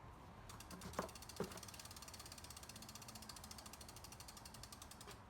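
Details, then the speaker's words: SUPER73 electric bike, rear wheel lifted and spun by hand after new brake pads fitted and caliper realigned; even, fast freewheel clicking with no rubbing or scraping, brakes and hub sound right; normal freewheel ratchet. "sounded right to me dude dude okay i think we got we got action"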